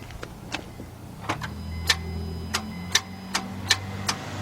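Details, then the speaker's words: 2009 Honda Accord 2.4 that won't start, cranked with the headlights on: sharp single clicks about twice a second with no cranking. The solenoid engages but the starter won't turn. "Did they dim out anything? Alright, but I do hear the starter trying to engage."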